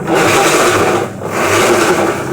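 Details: Electrolux LTD13 13 kg top-load washing machine, complaint of very loud noise during wash: loud, rough churning swelling and easing with each agitation stroke; found to be a broken plastic agitator actuator, previously glued.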